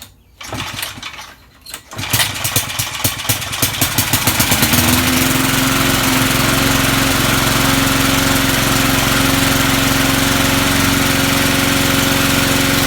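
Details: Vintage Sears/Montgomery Ward push mower, restarted after being shut off: a few pulls, then it fires, picks up speed and settles into steady, even run; normal start and running.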